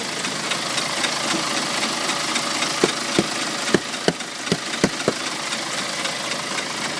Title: BMW X1 20d (N47) Ticking Noise